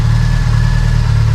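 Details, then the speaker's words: Freshly built Subaru STI on first start with a new tune map and a new Q300 exhaust, before cam break-in. Deep, steady idle with a slight rhythmic lope from the cams, even and strong; healthy normal idle. "so this thing is running amazing now you can hear has a little bit of a woke to it which i'm kind of surprised with having abcs but it still has a little bit of a look"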